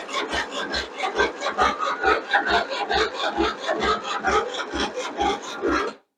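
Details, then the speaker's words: Craftsman II lawn tractor, Briggs and Stratton 12 hp, stored for years, starter freshly cleaned and serviced, on choke, in neutral: labored cranking about two turns a second with no catch; old, weak battery cranking too slowly. "Well, that battery is still kind of dead. So, I'm going to have to put a new charge on it and then we'll try it again in a little bit."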